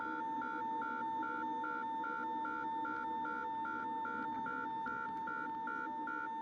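A steady high horn pulses about two and a half times a second over a low cabin hum, which is the stall warning sounding.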